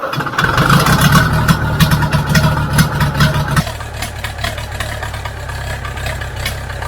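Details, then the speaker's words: International B414 four-cylinder diesel tractor, sat unused by a pond 20 years, started with ether on old sludgy oil: settles from a rougher spell into a steady even low chug, no knocks or rattles; runs okay. "oh that's brilliant it doesn't actually sound too bad once it gets running but it took a bit of winding over I had to throw some ether at it but um once once it's going it seems to run Okay"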